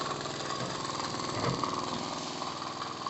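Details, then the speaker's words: Miniature 5 cc twin-cylinder steam engine, a Stuart D10 replica without Stephenson valve gear, at full valve opening and about 1 bar; quick, even chuffing about four beats a second with steady steam hiss: running perfectly. "Donc la machine marche, fonctionne parfaitement à un bar."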